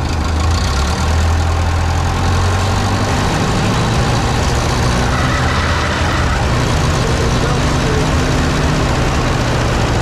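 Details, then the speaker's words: 1951 Ferguson TO-30 tractor after new spark plugs, carburetor refitted with repaired throttle shaft: low steady even idle, no misses, surges or knocks; running smoothly again. "so we're back up and running i feel really good about the engine now we got new plugs carburetors on"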